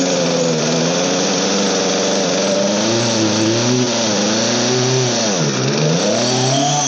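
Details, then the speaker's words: Old Poulan 3816 chainsaw, 16-inch bar, after repair, carburetor being tuned: two-stroke buzz surges and sags unevenly with throttle, won't settle, idle too low; low-speed mixture screw still lean and needs adjusting. "[Music] right still working on the low now I think I got the high about there that load still needs to go in my idle is too low so I'm going to raise my idle in"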